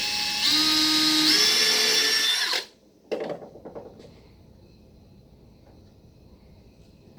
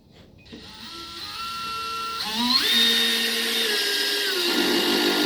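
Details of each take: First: Power drill driving a screw into wood through a pre-drilled pilot hole: a steady high motor whine, pitch easing slightly under load for about two seconds, then stopping. Smooth, normal screw driving. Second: Cordless drill driving a star-bit screw on clutch setting 1: rising whine then clicking as the clutch slips at the lowest torque setting, screw barely driven.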